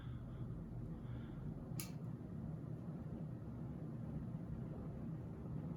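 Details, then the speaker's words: 50-inch Casablanca Panama II ceiling fan, basement-mounted, running on high on its original bearings, which needed no replacement. A faint even hum with no grinding or ticking; smooth and quiet. "as you can hear very quiet um i did not need to replace the bearings on this one they still seem to be in very good shape"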